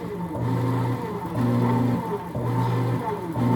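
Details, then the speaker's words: Whirlpool automatic washer under test: actuator shifts, then wash motor hums and starts/stops about once a second, reversing direction each time with a smooth drone; motor and actuator working normally. "para lavar hay que girar nuestro motor hacia los dos lados y luego la bomba"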